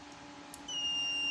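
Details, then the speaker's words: Known-good sensor on a homemade digital photocopier sensor tester (for ER5000/Advance machines): loud, high, steady beep with bright lamp, unlike the dead sensors' dim light; sensor triggering normally. "Nah, suaranya pun kencang, lampunya pun terang."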